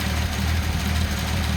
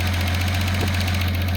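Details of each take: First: Datsun 280ZX turbo, engine idling with mixture adjusted to max lean: low idle with slightly uneven, lumpy beat instead of a smooth hum; rough idle from lean mixture. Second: Datsun 280ZX turbo idling with fan unplugged: after mixture moved from max lean toward richer, steady even low rumble with no misses or hunting; idle smooths as mixture richens.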